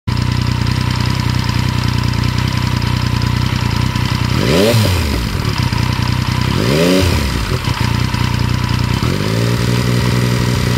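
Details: 2014 MT-09 motorcycle engine at idle with a light rattle under its steady beat, blipped twice before settling back; cause of the rattle unknown.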